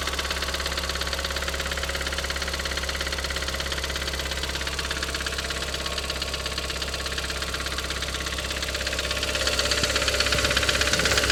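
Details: Audi TT 225 hp BAM engine at idle: crisp, even metallic clatter growing with revs, still present after new tappets, chain tensioner and full timing; compression reads 6.5, 8, 10 and 10 bar; cause unknown.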